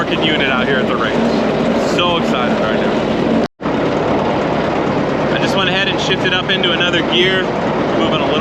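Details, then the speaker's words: About 100-year-old Caterpillar grader, after fitting a $55 part, climbing a small incline on the road. Engine chugs steadily uphill and through a gear change with no backfires or popping. Owner feels it could use a little more throttle; normal running under load. "right now we're going up a little incline and it's still just chugged Right Along coming up the hill so I think we're good"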